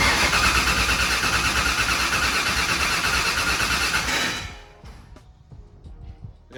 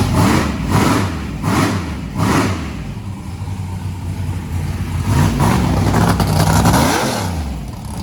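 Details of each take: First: Turbo hot rod on methanol, first start with 36-1 crank trigger: loud rough cranking and sputtering about four seconds then dying, with brake clean sprayed in; only about three psi fuel pressure, less than before. Hard start from low fuel pressure. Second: Turbo hot rod on its first start, with a 36-1 crank trigger and methanol fuel, about three pounds of fuel pressure. After a few blips it revs cleanly and settles to a steady idle. It sounds healthy.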